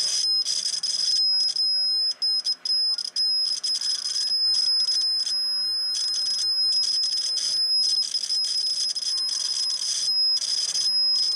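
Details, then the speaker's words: Homebuilt T-match antenna tuner, about a year old: continuity tone through the roller inductor drops out in short gaps as the roller moves along the coil, scratchy and spotty; rod and roller fairly dirty all along, coil needs cleaning. "the coil definitely need to be cleaned there's no doubt about that and oil on that roller the rod at the roller depress huh fairly dirty all the way along"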